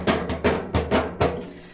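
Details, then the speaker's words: Brandt Statomatic 522 washing machine: hollow thumps about every half second as the drum turns, from play between drum door and its small tabs; considered normal. "en fait c'est le jeu qui est en fait entre la porte et le tambour ce qui est tout à fait normal en fait"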